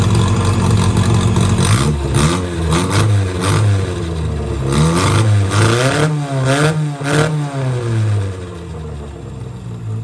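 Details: 1963 Austin-Healey Sprite 1098 after swapping the Weber for SU carbs, new plugs, ignition timing turned back to cure popping, idle adjusted: revs rise and fall cleanly, then steady even idle, no misses. Normal running; SU leaks fuel, probably needs gasket kit rebuild.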